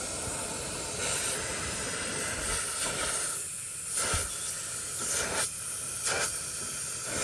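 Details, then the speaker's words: Peterbilt truck shut off, steady hissing of escaping air with no mechanical noise; rear air suspension airbag leaking, losing significant air pressure, both airbags to be replaced. "So you can see it's losing a significant amount of air pressure with the truck shut off."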